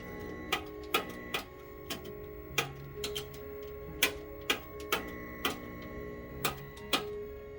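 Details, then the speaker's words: 1965 Curtis Mathes CTC 17 clone vintage colour TV: sharp irregular snapping ticks about twice a second over a faint steady hum as the flyback burns and high voltage dies; set judged baked. "yeah our high voltage is dying as our flyback burns can't hear it i can't hear it burning this time huh"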